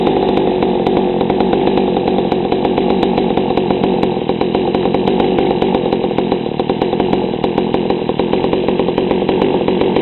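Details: GoPed gsr40 two-stroke with 603 high-performance carb, low-speed needle leaned a quarter turn: low, loping idle with a wet, uneven burble; still too rich, idle too low.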